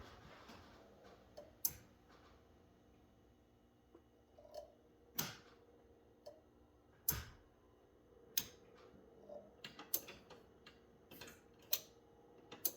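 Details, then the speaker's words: 1984 Ford F250 460, first start in years on a chilly day, key cycled: quiet, sharp relay clicks with no fuel pump hum behind them; fuel pump not running, cause suspected, not confirmed. "I'm not sure if you guys could hear that when I slipping the key off and on I could hear something over here clicking"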